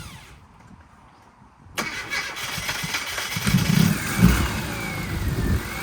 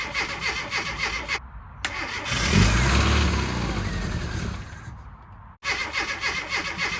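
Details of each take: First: Classic Mini Cooper, first start after its fuel pump issue was worked on (pump refitted in the tank, terminals cleaned, fresh wiring): quiet, then it catches at about two seconds and settles to a steady, even idle. Normal start; it later overheated. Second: Classic Mini Cooper, freshly rebuilt, first start attempt after fixing the immobilizer key fob battery: cranks, catches briefly on carb cleaner sprayed into the throttle body, runs ragged and dies; fuel not reaching injectors.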